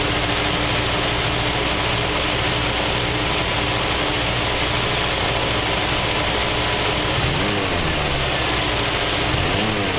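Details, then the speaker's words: 1979 Jeep CJ-5, one owner, AMC 304 two-barrel V8, revved from under the hood: steady run, then two quick revs rising and falling cleanly back to an even idle, no knocks or misses. Normal revving and idle. "As you can hear, it idled down, so that means it came off the choke, just had to warm up."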